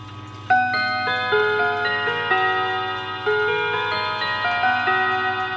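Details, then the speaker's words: W. Haid clock with 1973 Hermle 1050-020 balance-wheel movement, running again after stopping: clear bell tones in a steady four-note melody, each strike fading evenly, no buzzing or dragging; normal chime. "There we go. Sounds just the same as ever."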